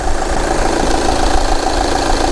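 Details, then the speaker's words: 2011 VW Sportwagen TDI at idle before repair, fuel dripping at the front right: uneven, shaky, lumpy diesel clatter; owner suspects the leaking pump is letting air into the fuel system. "the engine started running really rough it's shaking like a 1970 semi and I think that's because the pump's leaking and getting air into the fuel system"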